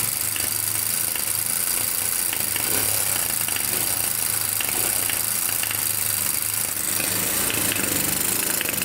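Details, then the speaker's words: Kawasaki Bayou 220 ATV bought cheap as non-running, pull-started because the starter only clicks: the single-cylinder engine runs unevenly, with irregular sharp pops backfiring through the carburetor; valves are to be checked next. "all right you can kind of hear it backfiring it's popping out of the carburetor"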